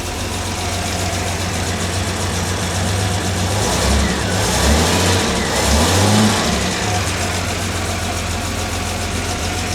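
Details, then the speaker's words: Jaguar XJ6 daily driver just reassembled with new head gasket and camshafts retimed, first cold start on full choke; strong, even, slightly fast idle with a brief rev blip, good oil pressure, a bit smoky; healthy cold idle. "Bit smoky out the back, but that is to be expected from it being cold."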